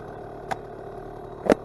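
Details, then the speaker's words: Vintage Honda MR50 two-stroke, warmed up, in neutral; quiet, even putter at steady idle, perhaps slightly low, with a couple of faint clicks: running nearly perfectly. "listen to it idle listen to it might be a little bit low I can adjust it but man let's do it idle you hear that I mean this thing is running perfectly nearly perfectly"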